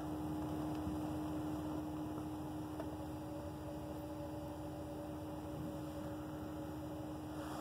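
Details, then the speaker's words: Lennox R22 1.5-ton system heard through an ultrasonic leak detector: steady hiss with an even low buzz from a relay on the defrost board, stopping when 24 volts is disconnected; relay suspected to be failing. "this little relay down here is just screaming bloody murder whatever is going on inside of that it is just so loud"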